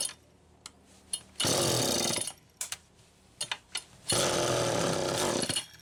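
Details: Homelite Super EZ chainsaw after a new crank seal and check valve replacement: two short, high, screaming revs between silent gaps, idle speed screw set far out; it is still running lean from an intake air leak.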